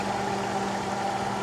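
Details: Welder rated 460 V single phase, no load: steady even hum with constant tone, no crackle or surging; idling normally, open-circuit voltage measured about 79 V AC low and 58 V AC high.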